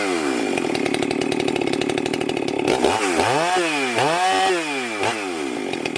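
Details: Husqvarna 394XP chainsaw, freshly rebuilt and ported, first shakedown runs cutting a log: high two-stroke scream, tone dips and recovers through cuts without bogging. Runs normally and pulls well; may lean the low jet slightly and richen the top end.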